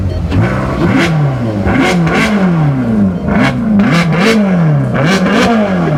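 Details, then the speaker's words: Bentley Continental GTC Supersports, 6-litre bi-turbo W12, already warmed up, started and revved: catches cleanly and blips up and down in sharp revs, pulling back smoothly. Normal startup and revs. "Just start it up. Let's just show them what it sounds like on startup."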